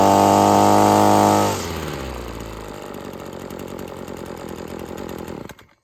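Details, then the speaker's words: Husqvarna two-stroke string trimmer after the line was cut from a 28-inch to a 20-inch span, carb not yet tuned: high, steady scream that then winds down to a stop; revs higher than with the overlong line. "You can definitely hear the difference. Our pans got up a little bit higher just by trimming the string a little bit."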